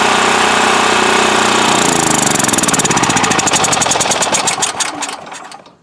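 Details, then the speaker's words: Westinghouse WH7000EC 7000 W electric-start generator: the engine chugs steadily, then goes ragged and dies over two seconds from fuel starvation. The fuel valve had been left off; it ran only mostly choked, and the spark arrestor was plugged. "we stopped, the engine stopped previously because I thought I had the fuel valve in the on position. It was actually in the off position."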